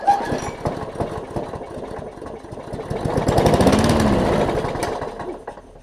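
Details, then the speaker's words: Craftsman push mower, primer bulb not priming, suspected carb issues, carb cleaner sprayed in: uneven pulls with brief sputtering catches that die away; it fires only momentarily, just not getting gas. Cranks but fires only on starting fluid. "i did put a little lube on the cover engine cover and uh seemed like it worked okay so it's just not getting any gas"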